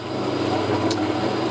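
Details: Small electric motor (toaster repaired at a cafe) hums at a steady pitch with an even level and no rattling or wobble after the plate was refitted and super-glued; normal running.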